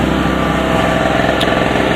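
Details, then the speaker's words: Harbor Freight 900 W (800 W rated) 63 cc 2 hp two-stroke generator, unloaded, about 7 °C outside: steady high-pitched buzz at constant speed, no surging or misfire; normal no-load running. "you guys could hear that little two cycle running that's um an example of your really on sale coupon model $79 Harbor Freight generator"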